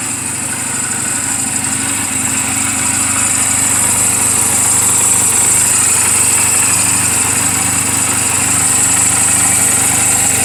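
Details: Reference sound of a healthy 2007 Honda Rebel 250 and its valves, idling in neutral just after an oil change and valve clearance adjustment; even, unbroken patter with no ticking or knocking. Mechanically sound, only cosmetic flaws. Normal idle.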